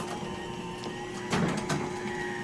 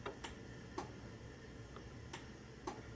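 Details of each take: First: Genie 1035 chain-drive opener on a 4x3'6" Midland door, closing with safety sensors knocked out of line: steady motor hum and chain whir, then a quick clunk as it instantly reverses; reverse is fast but not harsh, full-open stop is sudden. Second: Genie 1035 garage door opener on a 4x3'6" Midland door, safety sensors deliberately knocked out of alignment: faint sharp loosely paired clicks a second or two apart, no motor run; opener held off by misaligned sensors.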